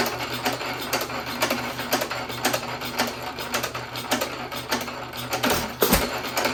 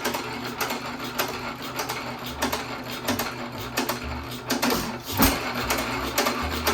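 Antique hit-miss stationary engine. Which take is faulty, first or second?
second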